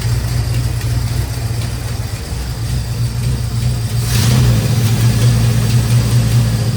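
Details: 1972 Dodge Charger idling for the first time in 25 years, just after a new fuel pump was installed, without throttle. A fast, light ticking rides over an uneven rumble and later smooths out on its own. Owner suspects the valvetrain and may pull the valve covers; not confirmed.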